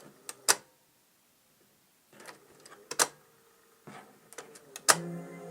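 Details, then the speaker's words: Silver SR5000L cassette deck after transport motor replacement: clicks and clunks as the mode gear cycles the mechanism, then the motor hum keeps running after stop is pressed; slow stop response. "And it doesn't respond right away when you hit stop. In fact, you can hear the motor run when I hit stop."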